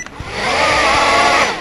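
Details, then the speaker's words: Zip Nano 2.0 Propel drone after a failing motor was replaced with one from a donor drone: clicks, then the motors whir up to a smooth, even high buzz and spin down cleanly. All motors work, a normal run. "that's good well all of them work that's important"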